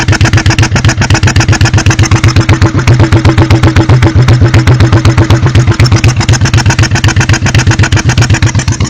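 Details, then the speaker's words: 1986 Honda Shadow VT1100C, 125 psi compression both cylinders, good plugs, carb blowback and backfiring: lumpy idle with hard regular thumps, rear cylinder missing and rear exhaust sounds like sucking in; owner suspects cam timing, unconfirmed. "if you listen to this rear exhaust it almost sounds like it's sucking in"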